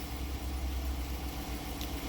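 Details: 2014 Jeep Grand Cherokee 5.7 Hemi after fixing a click/no-crank fault, suspected to be a rusted starter plug-in connector: quiet, steady low idle with an even rumble; engine running normally.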